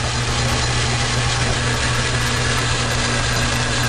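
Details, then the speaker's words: Logan lathe with new brass gear-change idler bushing: smooth steady whir and low even hum, no knocking or gear clatter; running quiet after repair. "Running quiet."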